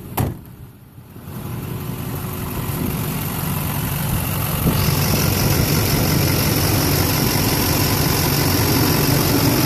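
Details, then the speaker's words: 2004 LLY Duramax extended cab, PCV reroute, 3-in downpipe, 5-in Magnaflow exhaust, idling on ACDelco injector cleaner mixed with diesel for white smoke at idle; settles into steady smooth idle with no misses. "I just bought some AC Delco uh injector cleaner hooked up the fuel lines to a little jug down there and it's uh so far sounds like it's idling a lot smoother"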